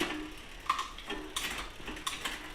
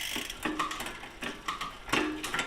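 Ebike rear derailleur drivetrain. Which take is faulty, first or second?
first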